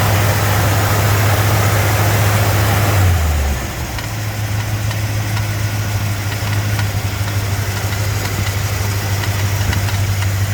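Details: 289 V8 cold start: loud, harsh rattle from the fan area that quiets after a few seconds.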